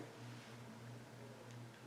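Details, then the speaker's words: Alaron polished-brass ceiling fan, owner believes a failed capacitor; it hums faintly with a soft uneven wash, turning very slowly and close to stalling. Cause suspected, not confirmed. "oh that's really slow it's gonna stall off"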